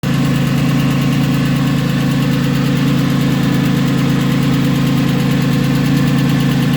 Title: Porsche 996 M96 engine ticking noise